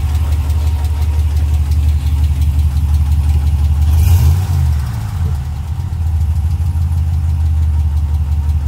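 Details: 2020 Ram Hemi V8 truck, 12,450 miles, cold remote start after sitting about two weeks: heavy low idle rumble with a faint, fairly regular ticking underneath, suspected lifter tick or knock; first time heard, gone after restart a minute later.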